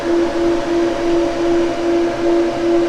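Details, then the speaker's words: 1965 Chevy Nova wagon delivery that overheated, electric radiator fans rewired through a relay fed directly from the battery, key turned on: even steady hum with smooth whirring and a gentle pulse, no scraping or ticking; fans run normally after the fix. "so now we turned his key and see what happens [Music] oh yeah that thing's moving some air"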